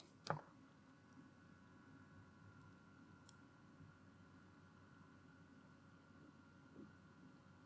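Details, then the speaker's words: be quiet! Pure Loop 360mm AIO, new, tube-mounted pump run at full speed from a power supply outside the case, held near the mic: faint steady high hum, no rattle, gurgle or grinding; audible but not too bad. "It is definitely audible, but not really too bad."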